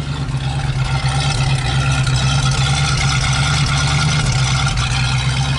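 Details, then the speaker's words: 1973 Ford Mustang Mach 1 Grande just revived after coil change and fresh fuel: deep, uneven, lumpy idle under the exhaust drone; running rough, cause not yet pinned down. "Kind of sounds like a sick turd right now."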